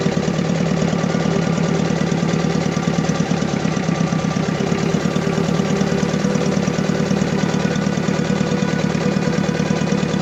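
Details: Diesel engine idling rough with uneven pulsing and shaking; misfiring with engine vibration and low power, black smoke noted, fuel system suspected as needing repair.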